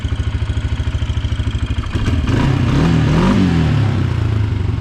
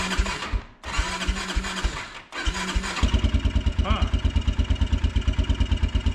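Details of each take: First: Kawasaki Brute Force 300 ATV (Kymco engine), previously hard-starting and backfiring with a black plug, after valve adjustment: even single-cylinder thump at idle, then a sharp blip climbing cleanly and settling without stumbling; no leaks, runs much better. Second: Kawasaki Brute Force 300 ATV with Kymco engine, ice cold, just after tightened valves were adjusted for hard starting, backfiring and black plug, no choke: two short cranking bursts fail, then it catches at three seconds and settles into even idle; hard cold start.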